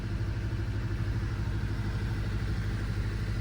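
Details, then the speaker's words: 2005 Honda Element EX idling after valves adjusted to spec: low uneven idle stumbling about every half second, no thumping or sharp knock; steady single-cylinder misfire, scanned as P0301 (cylinder 1), owner suspects a burnt valve. "It's not thumping, but it's still misfiring. So, maybe it has a burn valve."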